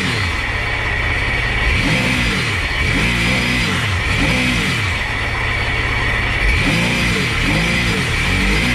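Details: Sea-Doo 4-TEC jet ski, unused for two years, after replacing leaking spark plug tubes that had caused clicking no-start and heavy smoke; engine revs up and down cleanly with no misses or knocks and no smoke; normal revving.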